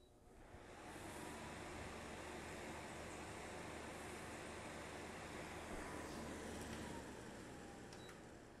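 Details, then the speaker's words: Fan run from a DIY powerwall through a pure sine inverter: steady even airflow with no hum or buzz. It runs quietly, unlike the awful hum it made on a non-pure-sine inverter. "and it's quiet as it should be and that is awesome"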